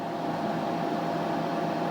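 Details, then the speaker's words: TDI Dynaload 100-300-2000 electronic load after teardown and cleaning, powered up with bench power supply: steady even fan rush with faint constant hum, no rattles or speed hunting; cooling fans running normally. "Probably hear that other fan kicking in. So, fans are running here. Fans over in the power supply."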